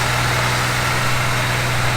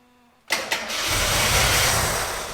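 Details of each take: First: Gilbern Invader Mk3 one-owner barn find, just revived: a steady, even low idle hum with no knocks or misses, and the gauges show good pressures; normal idle. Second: Gilbern Invader Mk3 one-owner barn find: two quick cranking bursts, then catches and roars about two seconds before fading; fuel pump thought to be pulling in air, starving engine of fuel. Fuel starvation.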